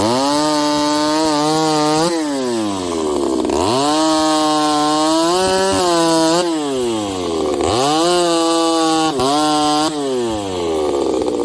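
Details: Ported Homelite 922 chainsaw after clutch and fuel line fix and cooler heat-range plug, cutting very hard wood with punky spots: strong steady high-revving scream, slight bog in each cut, snaps back cleanly between cuts; healthy under load.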